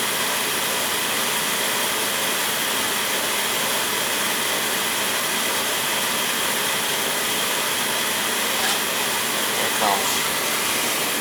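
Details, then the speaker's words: Oil boiler burner that was tripping on safety, after bleeding the pump, new filters at tank and burner, new Firomatic valve and new nozzle: steady even roar with smooth airy rush, no surging or cutting out. Normal burner firing. "Alright, she should fire right up now."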